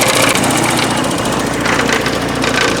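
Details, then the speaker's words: 1984 Porsche 944, first run in about four years after front-end work: fast, loose metallic clatter over steady idle like quarters in a dryer, felt in the timing chain area; something loose there, exact cause unknown. "That horrible racket you hear is coming from underneath what I just did. You can kind of feel it right up in the timing chain area. So something's loose."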